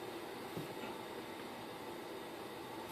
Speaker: we can figure out what's making that awful awful noise as you can see in the last video it was booted up and is working correctly but conduct noises a horrible kind of doing the same thing that doesn't switch did before the fan stopped working on it